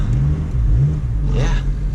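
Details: 8th-gen Honda Civic Si after repairing front-end scraping and banging by bending the part back: only low, even road rumble while driving, with no grinding, clunks or rubbing. The front end sounds healthy.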